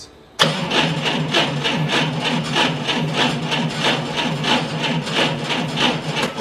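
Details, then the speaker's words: Propane forklift cranked by remote start button with key off and no propane: slow, uneven cranking that never catches. Battery voltage was lower than wanted while cranking, near the 9.6 V minimum spec, and recovered poorly to about 12.3 V, so the battery is weak. "okay uh battery was a little lower than uh I'd like to see uh 9.6 is the number that you don't want to see to go below uh when cranking that is the the bare minimum spec"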